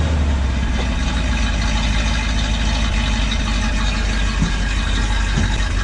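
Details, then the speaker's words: Freshly installed V8 crate engine in the owner's truck, cold with manual choke, foot held on the accelerator until warm: even deep rumble at a steady fast cold idle with no knocks or misses; healthy. "It does has like a manual choke on it. You got to keep your foot on the accelerator until she warms up."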